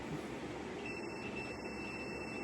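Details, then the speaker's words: Motorcycle under rebuild, wiring test of the turn signals: a steady high electronic beep pulsing about twice a second. The flasher and signal switch work properly and identify the wiring. "That tells me that this switch is good. And it also tells me what I've got going to what. It identifies my wires."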